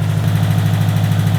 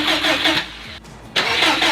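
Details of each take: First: Built 2005 Subaru WRX STI first start after engine repairs: fast, even low throb at high idle, no misses or ticking; running lean around 18 AFR on a tune that hasn't learned yet, aftermarket injectors. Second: Built 2005 Subaru WRX STI before first start, fuel pump and crank position sensor disconnected: two long cranking bursts, steady fast starter chug, engine never catches; deliberate no-fire crank to build oil pressure.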